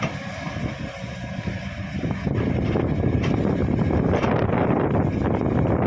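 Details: Kobelco SK220 excavator: heavy diesel rumble with an uneven rattling knock about three to four times a second, louder once the swing starts; abnormal swing noise, cause unclear.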